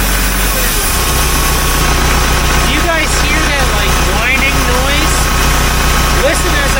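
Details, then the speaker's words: 1975 Case 580B backhoe, long overdue for service, before the transmission filter change, diesel idling: a wavering, scratchy whine sliding in pitch, felt on the transmission suction line, a transmission charge pump cavitation whine. "give it some water it's almost like a whining scratching noise it's like a cavitation and I can feel it right on this line here"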